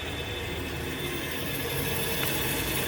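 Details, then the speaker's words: Treadmill at about 6 mph after soap was applied inside the roller teeth and belt. Steady whir and light rhythmic patter, with the earlier grinding squeak, which had eased once warm, now gone. "and as you can see just a little bit of soap that I used it dispersed itself within the teeth and the belt and the sound has gone away"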